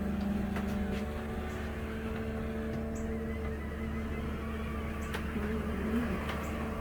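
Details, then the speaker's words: 2004 Country Coach motorhome HWH slide-out after repair and track roller adjustment, final test running all the way out: even, steady motor hum with low drone, no clunks or grinding, quiet and smooth; normal slide-out operation. "oh man nice quiet and smooth I like it I like it"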